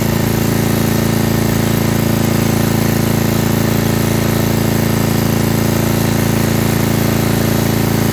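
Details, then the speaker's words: Estate-sale generator after carburetor cleaning and hours of adjustment; steady drone with even pulsing beat, not quite clean; main issue found to be governor arm tension, still needs a slight tweak. "not bad at all it's working for now i still can tell it needs a few more adjustments"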